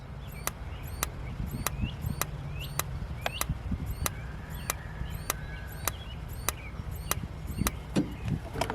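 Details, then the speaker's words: Older RV Dometic refrigerator on gas: sharp, even igniter ticks about twice a second with no burner whoosh after gas valve clunks open; igniter sparking without ignition because of air in gas line, burner possibly dirty; later lit. "hey we got ticking action as soon as we get the air out system i think a light all right cut it off do it again cameron it's trying to ignite just got to get the air out y'all hear it ticking"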